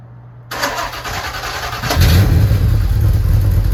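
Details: Porsche 928 GTS first start after a manual transmission swap: it cranks and catches into a loud, uneven idle with rough puffing chuff; exhaust leaking at the joints.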